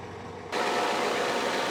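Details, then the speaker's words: 1987 Ford F350 6.9 IDI diesel auction truck, non-running until air was purged from the fuel system: catches and settles into an even, steady diesel idle with no misses or knocks; runs smooth. "thing sounds good too so yeah the gauges don't work at all"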